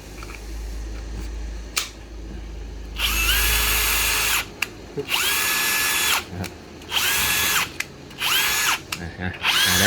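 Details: Bosch GSB 12-30 cordless drill after replacing the faulty switch that made it run only intermittently: a clean, even motor whine in repeated bursts that spins up and stops crisply with each trigger pull; normal running.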